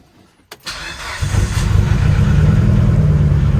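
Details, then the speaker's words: Built 2.2L Mitsubishi Evo 9, 42 psi boost, 8000 rpm limiter, after snapped harmonic balancer bolts: starts then lumpy uneven idle with off-beat thump, sounds like a Subaru; misfire. "you're able to hear that it literally sounds like a subaru"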